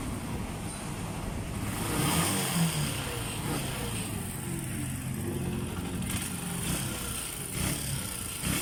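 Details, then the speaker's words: Honda TMX Alpha single-cylinder motorcycle after 4-pin CDI conversion for stator problem, kickstarted: steady low thump over street background, no misfire or knock; running normally. "So, irekta muna natin at subukan nating i-kickstart at paandarin natin yung motor."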